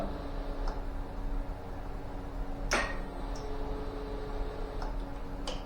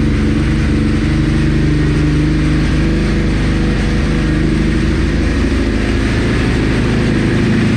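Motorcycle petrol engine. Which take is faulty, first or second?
first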